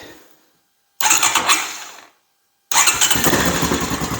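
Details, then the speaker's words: Honda TRX-250 Recon ATV right after starter motor replacement, battery charger removed: short silence, quick crank catches at once into steady idle; clean start, the starter motor was the fault all along. "contact yes excellent so that's what it was the starter motor all along"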